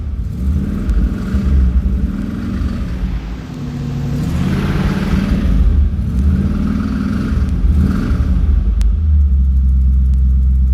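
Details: 1969 Chrysler Newport big-block V8, engine built five years ago with mild street cam, aluminum intake, Holley carb rebuilt two years ago, full tune-up, glass-pack exhaust: deep rumble swelling through several clean throttle blips and settling back; revs freely and healthily.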